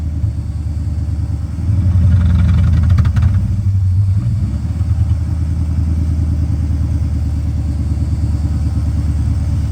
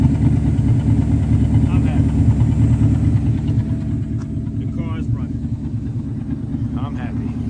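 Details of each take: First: 1984 Mercedes 500SEC Euro-spec V8: high steady idle that surges briefly on throttle then sags, bogs and labours toward stalling; fuel starvation, the pump isn't keeping up. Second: 1984 Mercedes 500SEC Euro-spec after removing blockage from clogged fuel intake filter, previously bogging and dying: steady even low idle, no stumble or dying; fixed, running normally.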